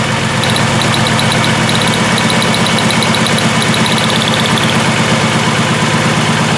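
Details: 2002 VW Jetta VR6 with severe misfire, stalling and injector circuit faults P0262/P0206 after plugs, wires and coil: lumpy idle, irregular shake and faint ticking during cylinder drop test; cylinders 1 and 6 show no RPM drop.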